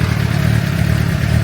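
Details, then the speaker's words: 2006 Suzuki GSX-R750, over 5,000 km since last service, warming up before oil change, oil at 48 °C heading to 60: smooth, even low burble at steady idle, no ticking or knocking; engine healthy. "But yeah, as you can hear, the engine is running pretty good. No ticking noises, no ticking time bombs."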